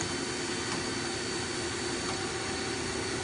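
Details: 2000 Mazak M5N CNC lathe (Mazatrol Fusion 640T, 7.1" bore, three-range headstock, manual 3-jaw chucks): steady even hum with faint constant high tone, no knocks or grinding; headstock spindle runs smoothly and sounds good.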